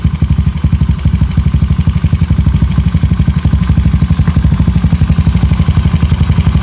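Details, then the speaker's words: Rebuilt Honda Beat carbureted 130cc daily, stock valves, carb tuned, quiet exhaust: low even thumping about four beats a second, no knocks or rattles; fast-revving, healthy engine. "Oke, kalian sudah dengar sendiri untuk gas-gasannya, respon-responnya seperti apa. RPM-nya cepat banget naik."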